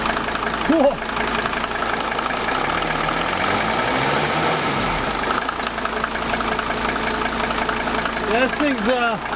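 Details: 1983 Mercedes W123 300TD wagon, OM617 diesel, just after fuel lift pump rebuild for fuel pressure bleed-down, hard starts and stalling: even, steady clatter at idle with no misses or knocks, no leaks; healthy idle, engine warm from sitting in a warm garage.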